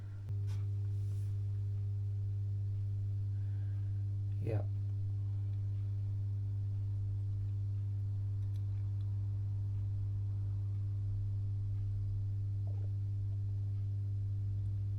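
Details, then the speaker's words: Masco M25N tube amplifier, poorly recapped, powered through a current-limiting bulb: loud steady low hum with a buzzy edge as the volume comes up; insufficient filter capacitance. "you can hear the volume's coming up now and and we've also got some real bad background home which tells us that this amp hasn't been being recapped very"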